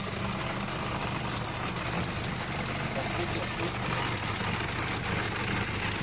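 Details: Nissan Navara diesel idling: busy metallic rattle over the clatter, loud worn slack timing chain; chain could jump if driven, replacement advised.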